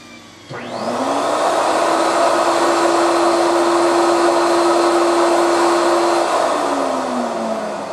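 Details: Fuji HVLP spray turbine (Mini Mite 4, Super 4 or Q4) spools up to a smooth, steady whirring tone, holds evenly and winds down cleanly; normal healthy running, Q4 about 59 dB at end of hose.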